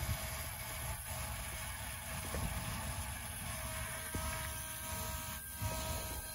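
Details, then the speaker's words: 2008 Ford F250 6.4 Powerstroke diesel with a crank-no-start: after fitting a new frame-mounted fuel pump, key-on gives a faint steady hum over low rumble as the pump primes normally. "and as soon as you're done go ahead and put the key on and you should be able to hear"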